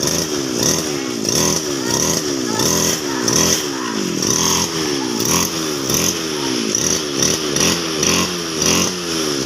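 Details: Two-stroke grass cutter after fixing a no-start problem, fuel tap opened: high crisp buzz rising and falling in quick surges, catching cleanly each time; running properly now.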